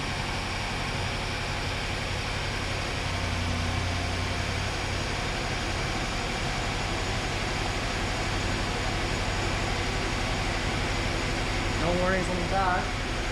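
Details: BMW F13 650i N63TU V8, first start after oil pump chain slack service: steady, even idle under a smooth hum with no rattle or knock; normal idle.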